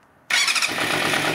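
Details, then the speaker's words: Vintage Yamaha 250cc bike first started after 10 years sitting outdoors, on mismatched carbs, warming up: it catches and settles into a busy, even run with no misses or knocks; normal running, carbs may still need adjusting. "yeah I'm happy you happy it runs it runs it does yeah it sounds okay it sounds good"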